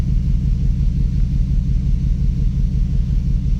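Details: 2006 Dodge Dakota 4.7 V8, misfire began after suspension damage, coil packs on cylinders 5 and 7 replaced with no change, earlier cylinder 2 fault: deep lumpy idle with regular thump about twice a second; misfire at idle, cause unconfirmed.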